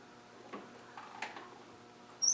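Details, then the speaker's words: Land Rover 300Tdi engine turned slowly by hand with glow plugs out, injectors unpowered, no vacuum or fuel pump: a few short high chirps at a certain point; the valve train squeak stops once the rockers are backed off. "but it it is a definite squee isn't it yeah and you just have to move it at a certain it's got to"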